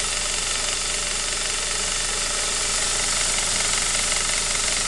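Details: Saab 9-5 B235 at cold idle, noise occurs only when cold: a busy, fast metallic rattle of about four ticks a second over the engine. Owner suspects the timing chain; unconfirmed.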